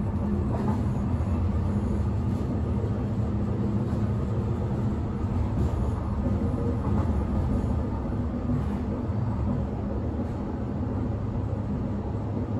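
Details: Inside a moving 1991 S-Bahn Berlin BR485 railcar 485 112-7 on the S8, Schönfließ–Hohen Neuendorf: heavy low rumble and rattle with a faint repeating thump at wheel speed, from a severe flat spot on a wheel.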